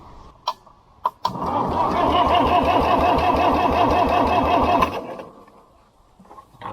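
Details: International B414 four-cylinder diesel tractor after sitting 20 years by a pond: steady, even cranking at about three turns a second for roughly four seconds with no firing; glow plugs possibly disconnected; engine cranking.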